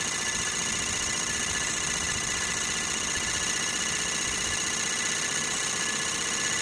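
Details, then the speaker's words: Sirius steam engine generator on steam, boiler holding 40 psi under full load, field powered at about 20 volts and 3 amps; oil separator and exhaust plumbing make it quiet. Steady even hiss with fine rapid beat, no knocks; normal running. "It sounds almost like a an internal combustion engine is so loud. All this oil separator and plumbing on the exhaust makes it real quiet."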